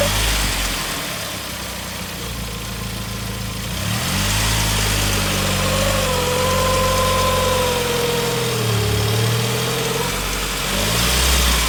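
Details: 2002 Saab 9-5 Aero engine, noise occurs reversing or driving up a kerb with a burning/rubbing smell: wavering mid-pitched whine drifting up and down over the rumble; abnormal noise, source not pinned down.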